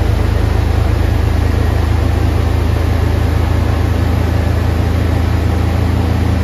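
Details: 1988 Chevrolet S-10 pickup idling a few days after a throttle body injection rebuild. Deep, steady rumble with an even, regular beat and no stumbles or knocks; idling smoothly and healthy.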